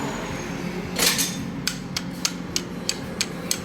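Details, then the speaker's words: Stripped generator engine after flood damage: sharp metallic rod taps about three per second; rod still knocks after replacing it with a new one, so the poor-quality crankshaft is blamed, with excessive connecting rod and crankshaft play; piston, rings and cylinder also loose. "เปลี่ยนก้านใหม่ก็ก็ยังดังอยู่เหมือนเดิมแสดงว่าอ่าแสดงว่าข้อเหวี่ยงเฮตาเป็ดเนี่ยนะครับมันคุณภาพมันไม่ผ่านนะครับ"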